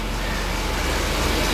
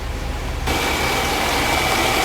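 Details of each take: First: 1977 Mercedes 450 SLC, warm, after idle adjustment, in drive: slow, slightly lumpy steady low thrum at about 600 rpm against 750 spec; idle speed low. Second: 1977 Mercedes 450 SLC V8, warming up toward 80 degrees before idle adjustment, single muffler two pipes in and out: steady, even idle with soft exhaust burble and faint hiss, no knocks or misses; normal warm idle.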